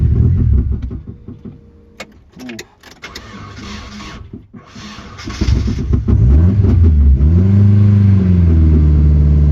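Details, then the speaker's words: Turbo Nissan 240SX with homemade shop-vac intake; cranks, catches and revs, then sags and hunts, dying whenever revs drop. "It doesn't want to idle all the time. Not sure why. Okay, it needs some work, but I think it'll get to the windshield place."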